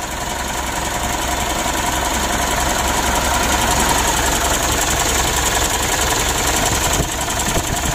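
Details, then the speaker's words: Mitsubishi Pajero Sport Exceed diesel idling cold with a harsh, rattly clatter about 160 times a minute; rough engine noise that the mechanic suspects is a bearing, idler or tensioner, to be checked along with the camshaft. "Dan kita dengar itu memang betul ada suara kasar pada mesinnya ya Menurut saya ini ada masalah pada dirinya bearing setelan demi modelnya atau tensionernya nanti kita cek juga"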